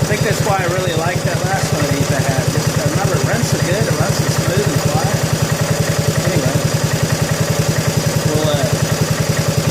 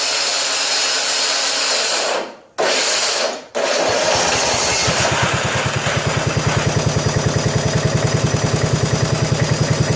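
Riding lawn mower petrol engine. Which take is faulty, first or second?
second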